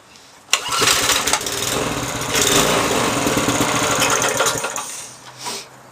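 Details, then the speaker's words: Briggs & Stratton 3.5 hp single, probably over 10 years old, more ether sprayed, revs raised: bursts into a rough uneven run, surges and sags a few seconds, then dies; carburettor suspected blocked by stale gas, later cleaned and jammed choke fixed. "t a clean because it could be blocked obviously that's what happens when gas is been sitting in the tank for a while turns it to like a syrup honey you're looking stuff blocks up things"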